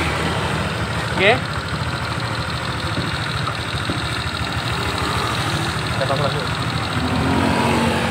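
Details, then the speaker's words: Honda Vario 125 scooter at idle: steady dull knock from the middle of the engine at the crank, which the owner says worsens as the engine gets hot; damaged conrod bearing, engine must be opened and the part replaced. "menurut informasi dari konsumen bahwa suara ini semakin panas semakin bertambah yaitu menunjukkan memang ciri-ciri dikontrol tadi sudah luka pengajiannya"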